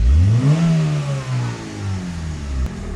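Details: 2001–05 Honda Civic EM2 1.7L D17 non-VTEC after valve adjustment done to chase misfires: engine climbs smoothly in one quick rev and settles back cleanly with no stumble or miss; now running great, normal revving.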